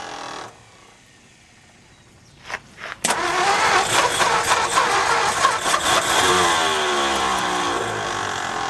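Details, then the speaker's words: 1955 Ford F250 V8 on its first start in 30 years, with timing still needing a tweak: it settles into a busy run with a light, fast ticking from lifters that haven't pumped up yet. "You can hear some lifter noise, but it hasn't been pumped up in years."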